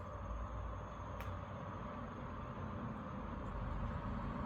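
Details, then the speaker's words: 2024 Tesla Model 3 Performance on 20-inch Arrow/wishbone wheels, reversing slowly after the wheel covers were removed: soft road hum and one stray click, no rhythmic ticking; the low-speed clicking was caused by the wheel covers. "good silence is golden so good no ticking whatsoever definitely the wheel covers guys"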